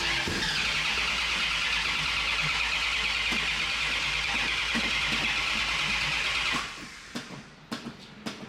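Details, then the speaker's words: Muscle car parked for at least a month, fuel has gone dry: long steady starter cranking at about three turns a second with no firing, needing extended cranking. "ERS have gone dry so I'm gonna have to crank it for a while I've had it here at Park for at least a month I believe it is so let's see how it goes"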